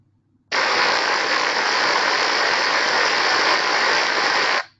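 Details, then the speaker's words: Ultrasound recording at a motor drive-end bearing. Steady hiss with faint once-per-turn (1x) impacts; the pump drive-end bearing shows the same impacts, matching the vibration readings. The impacts point to a worn coupling element. "The ultrasound technology was used to pinpoint the source of the u of the impacting sound and both motor drive and and pump drive and bearings were showing the same 1x impacts also as the vibration measurements."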